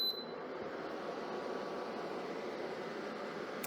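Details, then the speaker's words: Germanica portable induction cooker, single fan underneath, after switch-off having barely heated with no pot; fan keeps running on a fixed timer rather than temperature sensing, a steady, even rush of air. "so the Fan's on a hard timer it's not actually sensing the temperature"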